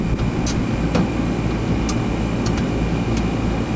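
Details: Newer Ruud central AC (2020 install) that quit cooling: capacitor tested good, and the fault was a loose wire connection. After fixing it, the outdoor unit hums steadily with compressor and fan running smoothly and only faint ticks. It is cooling again and the condensate drains well.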